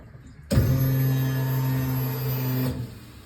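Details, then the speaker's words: Fuel pump whining loudly for about two seconds while priming a dry rail after a fuel system install on an AWD EG Civic sedan: AEM 340lph in-tank pump, 10-gallon trunk fuel cell, -8 lines; owner suspects something loose in the tank, cause unclear. "that sounds I don't know there's something in the tank I think it's a piece"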